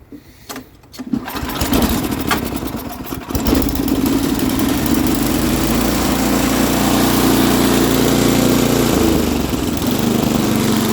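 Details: MTD Snowflite snowblower, carburetor recently changed, loose intake manifold sucking air now fixed: pulls over a few times, catches and settles into steady, even small-engine drone with no hunting or surging; runs normally.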